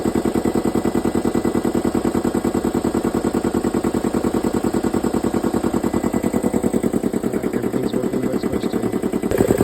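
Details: Air compressor just fitted with two new B72 belts and belt guard refitted; steady even thumping about three pulses a second with no knock, squeal or slip: normal running.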